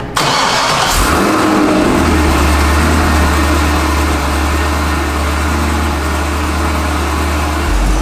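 Cranks, catches cleanly, blips, then settles into a smooth, steady, even idle with no odd noises: a healthy V8.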